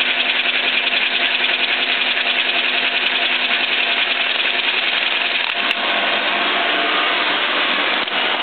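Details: Biernatzki milling machine after fitting a new drive shaft, test run; steady even mechanical whir without knocking, quieter and smoother than the original shaft; table feed gearbox switch is separately very noisy.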